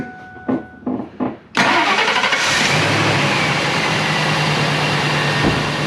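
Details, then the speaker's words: Old Ford F-250 after new plugs, wires, thermostat and upper and lower radiator hoses: a few starter cranks, then clean catch into a steady even idle with no miss or knock; running smooth, no leaks. "Hey Mike, that's running smooth, man."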